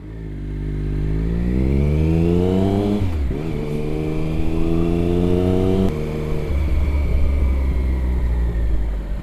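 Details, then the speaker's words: Triumph Daytona 955i (fuel injected) after fitting aftermarket slip-on exhaust and sealing an exhaust leak: from low rpm in first gear, opening the throttle makes the engine sputter and stumble, worse in higher gears; likely needs fuel tuning. "so it seems to sound okay you can hear a little bit of sputter there but if I go to ride it so even in first gear if I'm in low RPMs and then I just pull on that throttle hear that sputtering it gets really bad if I start going up gears"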